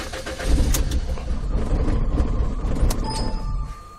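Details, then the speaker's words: 2005 Ford Escape 2.3 four-cylinder hit by lightning, instrument cluster disconnected, battery voltage high with charger on: engine catches, runs unevenly about three seconds, then dies out. "Okay, died out."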